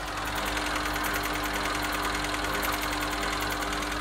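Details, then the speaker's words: Westinghouse Mastermind LF700B washing machine that drains and turns the drum but won't high-speed spin: a steady motor hum with fast light ticking, two or three per second. Motor fault suspected. "But I know you can hear it, but on the motor there, it's actually making an interesting sound. It's a clicking"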